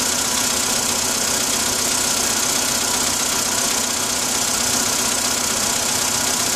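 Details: Cold idle engine knock: fast, fairly even ticking knock about three a second under a lot of hiss; cause not determined.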